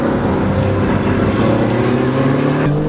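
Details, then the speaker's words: Porsche Cayman S under acceleration: a strong, smooth, rising engine note that pulls cleanly and evenly with no knocks or rattles. A healthy engine. "And oh god, it sounds good. Sounds amazing. It sounds so good."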